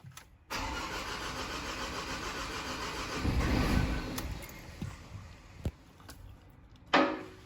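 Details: 2013 Ford Ranger diesel that ran about 45 minutes after new glow plugs, then quit: it cranks near 200 rpm, rail pressure rises to 590 bar, and it catches and runs roughly before dying; an EGR smell is noted, cause unconfirmed.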